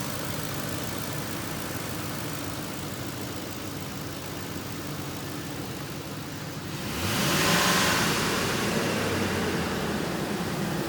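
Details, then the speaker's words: Ford 5.4 L Triton V8 after timing chain replacement, revved once the first-startup shake settled: steady running, then a clean rev that rises and settles smoothly with no knocks or rattles, not a box of rocks. Normal engine rev. "basically it's settling down i turned that off i think not really shaking like it was it's not a box of rocks give her a rev see if"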